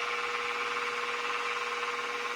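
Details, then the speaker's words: Mini mill after a Little Machine Shop belt drive kit upgrade, running in low gear (up to about 1100 rpm): smooth, steady, fairly quiet hum with one constant tone, no grinding, clunking or metal-on-metal lever rubbing; normal running. "Man, that's quiet. I can barely hear it. We're in low gear right now. That is so much quieter. No more of that gear grinding, clunking, clacking."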